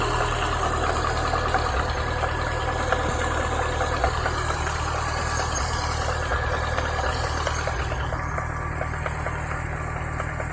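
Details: Chevrolet Niva engine idling: faint irregular knock about three per second over the idle, traced to a worn water pump with play (check pump for play with belt removed) — water pump bearing knock.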